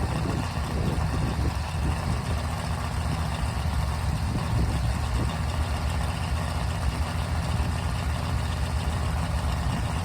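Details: Rebuilt 1974 Mopar 400 big block V8 on a run stand, first start and break-in: deep, steady rumble at fast idle with an even beat and no knock or tick; normal run.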